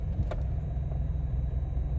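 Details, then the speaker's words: 2006 Saturn Vue 2.2 Ecotec, warmed up, stopped under load: deep, uneven rumble wobbling several times a second as idle drops to about 500-550 rpm instead of 700-800 and the engine shakes; rough low idle, not fixed by throttle body cleaning. "I'm just going to give you guys an example of the rough idle so basically whenever I come to a stop and especially when it's under load it'll go down to like almost 500 RPMs and the motor starts shaking"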